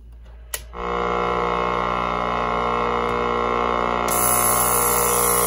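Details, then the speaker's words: Vintage clock radio from a donated trunk of electronics, synchronous clock motor not running (probably needs oil); steady, even buzz at constant pitch and loudness, the alarm buzzer working normally. "There's the buzzer for the alarm. I don't know if you've ever heard one of these ring."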